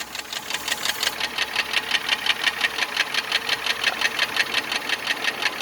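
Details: 2000 Honda Accord EX 3.0 V6, 128,000 miles, after a valve adjustment: sharp, even top-end ticking about three per second at idle. It is worse on cold start and under acceleration; the owner suspects a bent valve, a slipped timing tooth, rocker bridge torque or a rod/crank bearing.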